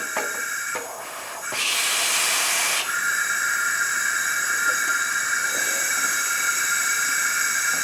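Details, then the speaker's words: 1984 Craftsman lawn tractor with old Briggs and Stratton engine, low compression, won't start: during a leakdown test about 75 psi in and 5 held, with a rushing burst then steady hiss of air escaping past the exhaust valve. Exhaust valve leak. "I can get about 75 and I got about five on the and it's all coming out the exhaust"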